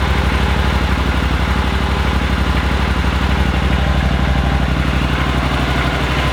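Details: Yamaha Super Tenere twin motorcycle: slow, even low thumping at about three beats a second, steady and smooth with no clatter. Normal idle.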